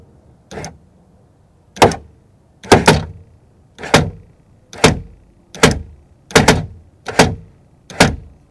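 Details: 2000 Toyota Camry CE rear door power window while raising the glass: rapid, machine-gun-like heavy clunks about once a second. The worn regulator piece slips on its teeth and must be replaced.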